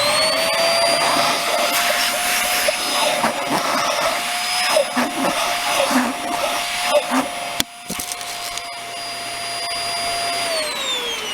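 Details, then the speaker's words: Hoover Air Steerable WindTunnel vacuum, hose being checked for a plug: strong, steady motor whine with rushing air, then spin-down; plenty of suction down to the brush. "i turn this on and stick my finger in here and there's lots of suction going down to the brush"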